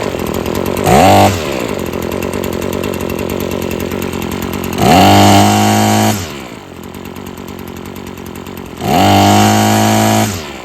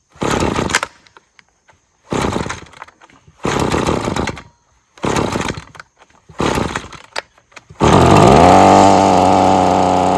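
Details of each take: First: Husqvarna string trimmer after freeing a sticking trigger and carburetor adjustment (it kept cutting off): steady high-revving two-stroke buzz, three clean throttle blips rising smoothly and settling to an even idle; runs healthy. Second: Husqvarna two-stroke string trimmer with sticking trigger that keeps cutting out, fuel possibly stale: short choked bursts, then a strained, sagging drone; bogs at full throttle turning the line, dies below half throttle, carb issues suspected.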